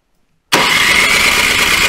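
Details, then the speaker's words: Toro Power Max 726 OE snowblower, unused about two years, at full throttle: steady, even cranking whir with no firing; cranks but won't start, same issue as before storage; fuel being drawn, spark to be checked. "foreign okay so that seems to be where I remember it and that was the exact issue I was having so I think the first thing I'm going to do is probably check for spark"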